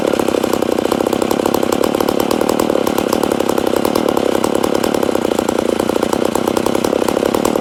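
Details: Rebuilt McCulloch Super Pro 80 chainsaw, first start after rebuild: steady high buzz with a fast, even rattle and no drop-off, sounding lean; owner suspects an air leak, probably a crank seal.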